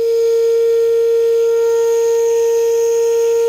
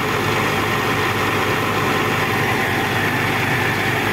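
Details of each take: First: Old Caterpillar overheated and shut off: loud steady ship-horn-like tone from boiling radiator venting hot steam, fading as it cools. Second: Old Caterpillar diesel after overheating, radiator topped up with water, overheat light no longer blinking: constant heavy clatter at an even idle, no surging, hunting or odd knocks; normal idle.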